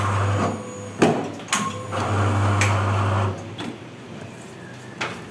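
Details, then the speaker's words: MAGIX 480V8 paper cutter, newest single-shaft version, cutting at 7 cm: clunk, about a second of steady motor hum as blade descends, clunk on return; sound smoother than earlier rougher versions; normal cutting cycle. "Nah, kalau yang ini yang terbaru ini suaranya makin halus. Tapi kalau buat halus banget enggak tapi ee agak halus atau agak e ada perubahanlah istilahnya kayak gitu."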